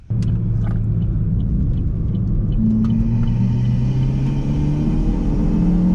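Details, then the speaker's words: Chevy Cruze with a big turbo, after a blow-off valve kit replaced the diverter valve that caused a high-pitched flutter. A smooth low rumble with a clean rising tone through the gears, no flutter or whistle; no power lost. "spin it definitely doesn't feel like we lost any power and the blowoff valve is working like a normal blowoff valve actually sounds really good now"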